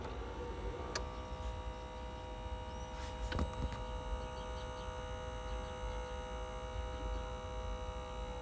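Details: Ford Focus 2 climate-control cabin air temperature sensor, removed from behind its dash grille: faint steady electric hum from its small fan motor; noise is caused by dirt in the motor, sensor orientation, and resonance through the dashboard.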